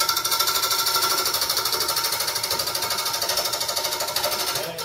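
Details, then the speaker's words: Bowl turning on a lathe at about 760 RPM: rapid, rattling tap of the gouge on the spinning blank, chatter caused by the blank being out of round. "can hear all that chatter from being out [Music] [Music] around"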